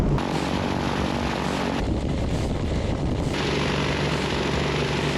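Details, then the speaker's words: 1959 Piper Comanche 250 first start after sitting over a decade: steady, even propeller drone at 1500 RPM with no misses or knocks, engine purring before warm-up; fuel pressure good, mechanical fuel pump seems a little weak. "she is actually purring if you look at it right at 1500 RPM it sounds like it sounds perfect"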